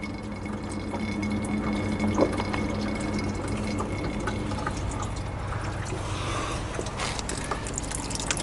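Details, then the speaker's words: 1986 GMC S15 with 2.5 Iron Duke engine running, heard at the radiator: irregular bubbling and gurgling coolant over a low engine hum; head gasket failure letting combustion gas into the coolant. "no that's not a good sign you can actually hear gurgling man"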